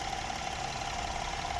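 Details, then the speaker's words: BMW F30 with N13 engine after replacing a cracked PCV valve that sucked air and caused noise: steady, even idle with a smooth hum, no misfire or knocking; normal idle. "Bueno aquí tenemos encendido otra vez el n13 ahí podemos ver que ya no está fallando y que no tiene ningún ruido"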